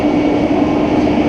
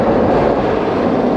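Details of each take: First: Roller coaster chain lift motor: constant, unwavering mid-pitched hum with a rumble underneath; lift drive running normally, its noise varying by manufacturer. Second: Steel roller coaster train running with nylon wheels instead of polyurethane, sound amplified by massive B&M rails: loud, continuous hollow roar through the whole run, audible across almost the whole park.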